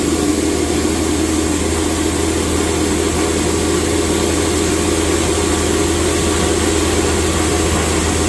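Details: Grain mill grinding whole grain into fine cattle feed, with a bag held over the blower outlet: a steady, even roar with a constant whir and no knocks or surging as grain feeds in; normal hammer mill operation.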